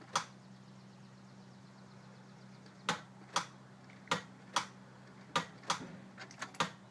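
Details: Ford E350 bus with a 7.3L diesel that won't start, after the starter was swapped and cables checked: sharp single clicks at irregular intervals, about one per second, with no cranking.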